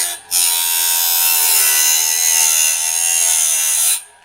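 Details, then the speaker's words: Norwood BladeMate Pro band-blade sharpener, gullet grind after raising the height adjustment slightly: even, steady high-pitched grinding hiss for about four seconds with no chatter; stone lightly follows and maintains the gullet profile, normal gullet cut. "So it just maintains that profile. So two distinct sounds that you're listening for, two types of cuts."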